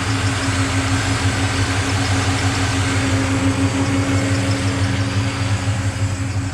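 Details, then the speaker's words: Nissan Patrol GU with LS1 V8 swap, after exhaust manifold leaks at front and back were fixed: deep, steady idle with an even low burble, no puffing or ticking from the manifolds; exhaust sealed. "it's so quiet up in here like exhaust-wise it used to leak at the back same with the front here"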